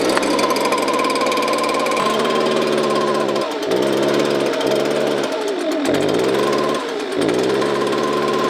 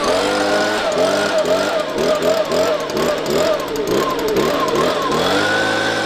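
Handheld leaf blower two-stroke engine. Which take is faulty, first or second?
first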